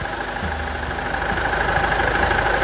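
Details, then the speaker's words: Mitsubishi Triton 3.2 diesel at idle after service including new valve cover gasket: steady, even idle with light regular clatter and constant pitch; normal idle. "Olha a lenta desse motor. Vamos na lenta. Só lenta. Só lenta. Show de bola, né?"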